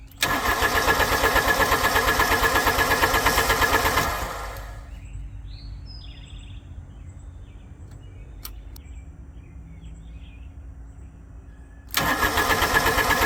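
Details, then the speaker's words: Wacker Neuson 803 / Cat 300.9 mini excavator diesel, cold start next morning at 64 degrees: catches with uneven lumpy chug, dies after seconds, restarts; owner suspects a bad cylinder or bad glow plug, not confirmed. "See, I'm thinking that's probably going to be a bad cylinder. or a bad glow plug."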